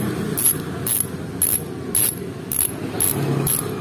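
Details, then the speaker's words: Fastace 3-pawl "cricket" bicycle hub after upgrade for louder sound, coasting: loud crisp even buzzing ratchet bursts about every half second; healthy freewheel. "Oke suara setelah kita lakukan upgrade ke ruangan Ya nanti kita kok ke dalam lagi biar supaya denger suaranya ya"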